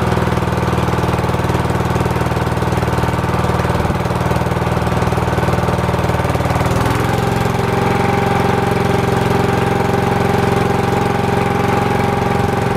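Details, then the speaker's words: Old cast-iron Briggs single-cylinder on a Simplicity VC walk-behind tractor, started after years sitting outdoors: steady hard-hitting thump that shifts speed midway; lacking compression and firing hard, points gap to be checked. "unfortunately it is definitely lacking some compression and it sounds like it's firing a little bit hard too"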